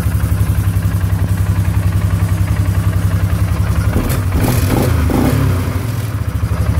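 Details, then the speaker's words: 2015 Polaris Sportsman 570, first run after reinstalling the tested starter with a new battery: a steady idle thump with a light, uneven metallic rattle. The rattle comes from loose supports, nothing internal. "right the rattling noise that's it supports don't worry about that"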